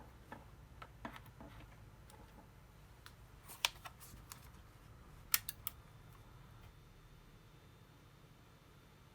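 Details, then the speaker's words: DSO5102P oscilloscope bought from AliExpress, after repair of its loud whistle: only faint, even fan hum with no high whistle, normal quiet operation; the suspected cause was a poorly soldered smoothing capacitor near the TL431 in the feedback circuit. "все какого свиста только из вентиляторов еле слышны вентилятор останавливал вообще больше ничего не шиком"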